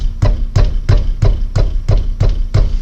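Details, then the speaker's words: Peugeot 307 front end, wheel struck by hand: sharp hollow knocks about three per second, the clunk heard on cobbled roads. "amigo, esse barulho aqui incomoda, tá? Então é esse que a gente vai tirar, beleza?"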